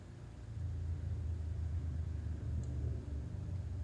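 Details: Harley V-twin on the starter with plugs in: low, uneven churning rumble turning over without catching; cranks but never fires.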